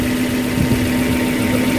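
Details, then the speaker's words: 2013-built Suzuki Carry Futura 1.5 pickup with about 53,000 km, idling with the engine bay open; the engine is dry: steady, even hum at a constant pitch with no odd noises, knocks or rattles; smooth idle. "Suaranya juga halus, suara mesin halus, tidak ada noise yang aneh-aneh ya, ada suara yang aneh-aneh."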